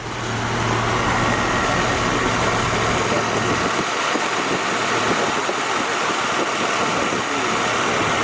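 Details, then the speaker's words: Jeep Wrangler after engine rebuild, new belt and idler pulley with correct tension (old belt had antifreeze on it and squealed); smooth, even idle with light injector tick, no belt squeal; normal idle. "just purring and don't squeal that's always been an issue"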